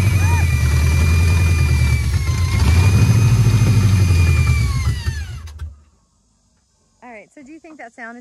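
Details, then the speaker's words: 1966 Ford F-250 Custom Cab that had sat over 30 years, running on its own after the fuel bowls were filled: rough, uneven idle with a low drumming beat and faint squeal before shutdown; source unclear, abnormal engine noise. "is coming from where I pointed it out maybe and that is a weird sound that is a weird sound but it runs now"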